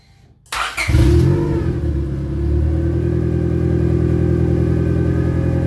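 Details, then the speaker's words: Boosted Honda Civic at first start after its distributor was rebuilt with OBD2 internals in an OBD1 shell. The engine catches and settles into an uneven, lumpy idle; it runs, but pretty rough, and the cause is not yet pinned down. "I was super nervous, so I just started it to see if it worked, and it does run. It's not perfect. It's pretty rough actually, but we're getting somewhere."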